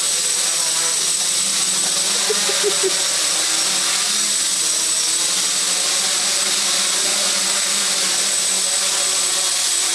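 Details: Quadcopter with Aeolian motors in flight: steady high-pitched whine over whirring props, rudder needed overcompensation; worn, bad motor bearings suspected, replacements awaited.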